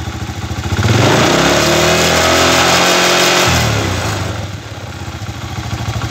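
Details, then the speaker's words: Chinese 125cc motorcycle engine with an iron cylinder, fitted with a fixed-timing five-wire AC CDI: picks up cleanly from idle, holds a smooth high rev, then settles back evenly. With this CDI it starts easier; normal revving. "bueno como pueden ver ahí no avanza es punto fijo pero la moto arranca bien y anda bien"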